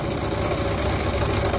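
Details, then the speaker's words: Vintage motorcycle, engine restarted, carburettor impossible to adjust: rough idle with an intermittent dull, deep bottom-end knock. The mechanic suspects a big-end (connecting rod) knock from running on degraded oil and poor lubrication; not confirmed. "là on l'entend bien là c'est ça ressemble vraiment à un bruit de de Biel à mon avis ton ton moteur il a roulé avec de l'huile pourrie pendant un moment et euh mauvais gressage"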